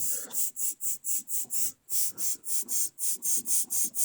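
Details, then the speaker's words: 7hp Briggs & Stratton 128602 on a Craftsman 21-inch self-propelled mower, not running, flywheel turned by hand: sharp rhythmic hissing puffs, about five a second, as compression blows straight up past the head gasket toward the coil; blown head gasket. "this is the real problem right here when i turn the flywheel like this it's blowing in my face right here it's blowing straight up at that gasket"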